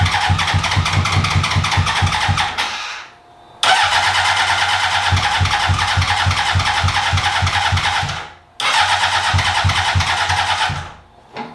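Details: 2003 Honda CBR600RR, first start attempts on a newly acquired project bike: long bursts of steady starter cranking, about three and a half beats a second, stopping and restarting. It tries to catch but never runs.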